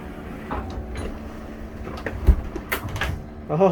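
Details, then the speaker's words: 2004 Country Coach motorhome HWH slide-out after track roller repair, going back out: steady low pump hum, light occasional clicks, no grinding; runs smoothly, much better than before, though further adjustment still needed. "yeah that sounded good so much better than what it was doing before"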